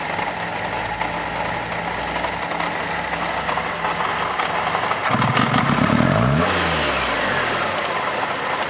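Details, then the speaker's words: Fiat Panda 4x4 Sisley, warm, just after a carburetor clean of iron-oxide-clogged float chamber: uneven, stumbling idle instead of the former smooth tick-over, smells of petrol and over-fuels; the jammed float held the fuel level too high. "Stinks of petrol too. It's like it's over-fueling. Very, very strange."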